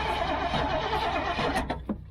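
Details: Old GMC gasoline bucket truck, cranked from the cab while feathering the throttle and working the choke: steady starter churning for about two seconds, then it trails off without the engine ever catching; crank-no-start, cause unconfirmed though fuel is visible in the filter.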